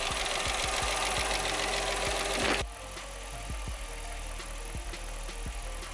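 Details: 2006 Jeep Commander 5.7L Hemi V8 just started after lifter replacement for a lifter tick: a loud burst, then an even idle with light regular injector ticking, no misses, shaking or lifter tapping; check engine light off. Normal idle.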